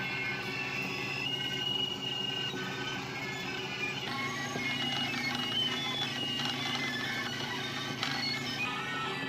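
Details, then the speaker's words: Webster-Chicago 81-1 wire recorder rewinding with playback left on: a loud, warbling jumble of sped-up tones and chirps plays throughout the rewind where it should be quiet, loud garbled playback during rewind. "Now I'd like you to just take a note of how loud it is during rewinding."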